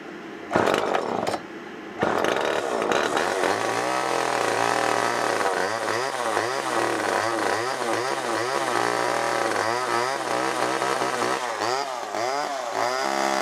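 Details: Old garbage-picked Homelite XL chainsaw: two-stroke revving up and down, ragged at first then smoothing and holding revs; owner says the more he cut with it, the carb cleaned itself out.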